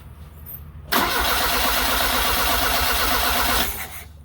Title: 1979 Fiat Spider 124, Diagnosing a no start situation, Magnetic pick up replacement